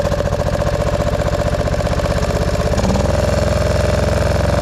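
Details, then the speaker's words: 1999 Craftsman lawn tractor with 20 hp V-twin under mowing load after deck work, before carb cleaning: uneven lumpy idle about three beats a second, wavering and stumbling, bogging; owner suspects a carb issue with flooding. "Kind of bogging down a bit. Heat up here. All right. Well, to me it sounds like a carb issue and we've had some flooding problems."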